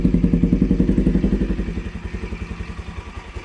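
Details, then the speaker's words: NS200 single-cylinder idling after DIY tune-up: even idle with light regular tick, three or four beats a second, no heavy clatter; earlier loud ticking gone, remaining tick normal, healthy engine. "Natural na yan ang lagatik. Hindi na yan nung kagaya nung kanina. Nawala yung ingay mga kabakyard."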